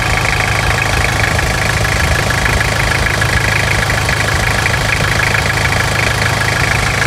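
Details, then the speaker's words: 1999 Toyota Hilux SR5 2.8 diesel, started first try on an auxiliary battery charge: steady idle with a rough, uneven clatter over the low rumble; a noticeable knock, cause not pinned down. "E aí é muita melodia é muita melodia ou tá meio estralado ainda continua a melodia né"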